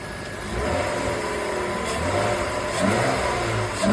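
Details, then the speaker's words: BMW E34 with M50 six-cylinder, revived after 15 years outside, new fuel pump, broken hose taped: smooth hum rising and falling with throttle blips, no knocks or misses; engine sounds healthy. "To finish off, here's a quick clip of the engine running after I professionally fixed the broken hose with some tape. And the M50 just sounds"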